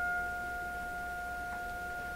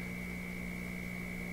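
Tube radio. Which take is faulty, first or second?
second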